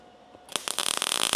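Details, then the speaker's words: MIG welding 18-gauge sheet metal, voltage raised to about 17.5: hissy crackle with sharp uneven pops instead of smooth sizzle; voltage still slightly too low, to be raised to 19. "That see how much better that sounded? Much better. Still popping a little bit. Going to increase my voltage a little bit more."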